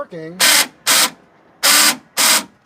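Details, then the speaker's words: Chevrolet Astro van, passenger-side door lock actuator newly replaced: four short, sharp electric buzzes as the lock cycles. The lock works, but there is a loud relay-like noise from up inside the door. "okay it's working but the noise is crazy and the noise is coming from this thing that's up in here"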